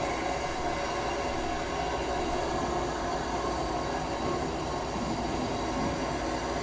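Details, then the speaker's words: Newly installed propane water heater filling. Steady, strong rushing hiss with no sputter or surging; good supply pressure. "that sounds like it's got pretty good pressure listen to that while it's filling"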